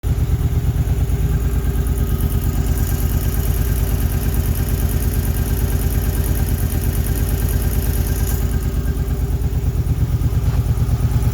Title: Ticking sound 2008 Suzuki Boulevard C50